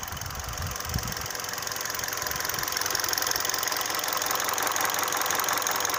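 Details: 2012 Hyundai Solaris 1.6 automatic, 130,000 km, fully warm idle; light, regular ticking knock about three per second over a hissy idle, appeared after an oil change, loudest at 80° oil/coolant, fades when hotter; owner suspects piston slap; engine knock at idle.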